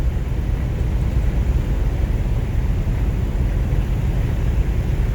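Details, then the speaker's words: 1953 Buick Roadmaster Model 79R woody wagon, about 4,400 lb, cruising about 45 mph on a cold day, bias-ply tires: deep even rumble steady under load, no knocks or ticks, with road noise; healthy. "mechanical sound coming from up front it sounds expensive"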